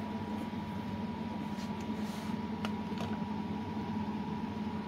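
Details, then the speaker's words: Ferroli double induction hob, cooling fan after a circuit mod raised it from 12 V to about 17 V for faster running. Steady whoosh of air under a constant thin hum, no rattles or rubbing. Normal, smooth, fast fan operation. "mình đã độ cái mạch quạt cho nó quạt nó chạy nhanh hơn nhá đấy các bạn nghe nghe nghe tiếng"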